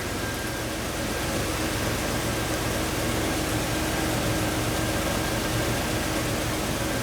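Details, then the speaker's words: 2000 Jeep Wrangler TJ engine idling after reassembly, with a little oil burning off, possibly a valve cover leak, and the fan shroud not yet fitted: steady, even idle with no knocks, ticks or speed swings; normal idle. "Oh, she sounds good. She's sounding good, folks."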